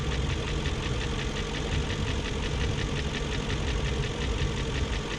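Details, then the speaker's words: 2001 BMW E38 740i idling after Vanos units rebuilt, Vanos distributors and intake cam-end gaskets replaced: fast even ticking about four per second over steady idle rumble; lifters checked, spark plugs tight, no codes, top-end tick cause unknown. "and it's still making that ticking more all the spark plugs are tight"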